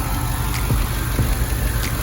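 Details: 2006 Impala SS V8 idling after valve cover gasket replacement; deep smooth even rumble with no ticking or misses, engine running healthy.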